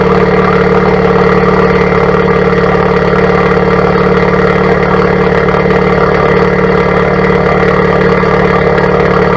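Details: 2017+ Honda Civic Type R FK8 with Borla Atak exhaust, PRL catless downpipe and PLM catless front pipe: loud, deep, even idle with steady low drone, no ticks, knocks or misses; healthy normal idle.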